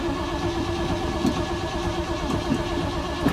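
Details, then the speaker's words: 1973 Ford Torino Sport fastback after sitting three years with old bad gas: engine runs rough and uneven a few seconds, then sags and dies before end of driveway; suspected out of fuel, needs fresh gas. "I think we might have ran out of Go Go Juice well it didn't make it to the end of the driveway"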